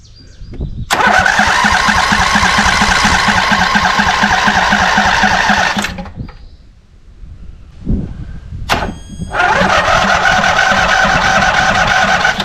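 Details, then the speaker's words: Scag Cheetah mower with Briggs & Stratton Intek V-twin and cheap replacement carburetor, battery low: two long cranking bursts about three turns a second, never catching; no start, debris found in carburetor main jet and deformed bowl O-ring. "Yeah, something in that jet would easily explain the lack of fuel."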